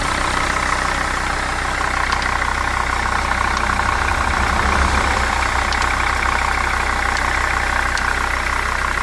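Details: 2002 Jeep Grand Cherokee WJ 2.7-litre diesel idling steadily with a fast, fairly regular ticking over the clatter, about three a second; cause unknown.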